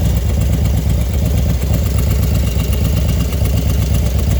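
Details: Small single-cylinder engine after 110 big-bore kit install, even idle thump with a light tick on each beat, ticking only when hot; cause not determined. Engine ticking when hot.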